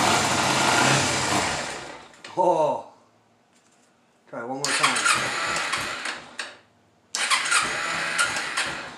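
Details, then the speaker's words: 2011 Kawasaki Ninja 250 after battery charge, starting on choke: short cranking bursts catch and run briefly, dies as soon as choke is turned off, barely idles even on choke; carburetors judged to need cleaning. "soon as you turn the choke off it it dies"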